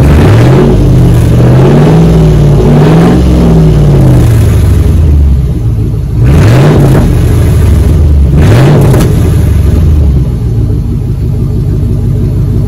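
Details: 2004 Dodge Ram 1500 Hemi 5.7 V8 after muffler and resonator delete, straight pipe fitted underneath; deep loud raw burble at idle with sharp blips rising and falling; healthy engine, loud straight-pipe exhaust.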